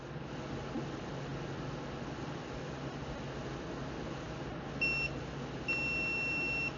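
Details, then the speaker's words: Stacyc 12/16eDrive-type motor controller entering speed programming mode; over a faint hum, a short high beep then a longer one, normal programming beeps. "we'll go into our programming setting just like normal and now you can go ahead and program your speed mode however you want"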